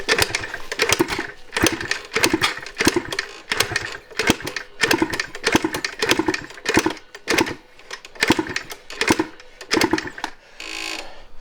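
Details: 1986 Yamaha IT200 two-stroke enduro, around 90 kicks in: uneven bursts of pops, one to two a second, firing hit-and-miss and barking without catching. Intermittent firing.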